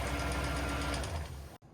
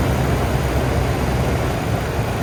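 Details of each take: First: Toyota Tundra after engine replacement, cold, just started before thermostat opens: rapid, light even sewing-machine ticking at idle; lifters suspected, more running advised. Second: 2010 Toyota Tundra V8 idling after engine replacement: even smooth rumble with no tapping, knocking or stumbling, fading slightly; engine nice and smooth, though a code, possibly P0453, relating to the vacuum pump connection remains.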